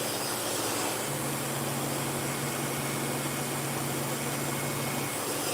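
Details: Freshly sharpened dog-grooming clipper blade on test-cutting: steady, even low hum with a smooth buzz and no rattle or chatter; normal running.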